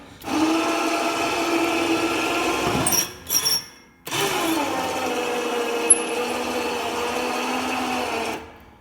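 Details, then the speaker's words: Plow winch on 2003 Polaris Sportsman, key on, engine off, battery power only: steady low labored electric whir with brief stop midway, raising blade slowly; sluggish, seems faster when engine is running. "So it's pretty sluggish, but like I say, when it was running, it seems to go a little faster."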